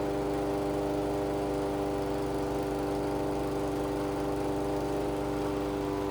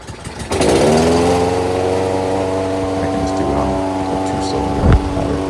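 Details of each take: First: Toro 22-inch Recycler mower, Kohler 149cc single-cylinder, after tune-up, governor adjusted up toward about 3,000 rpm: constant high no-load speed, steady with no hunting or surging; normal governed top speed. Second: Toro 22-inch Recycler mower, Kohler 149cc engine, after tune-up, tachometer reading about 2,800–2,970 rpm: steady even run a touch slow; governed top speed set slightly low, being adjusted up.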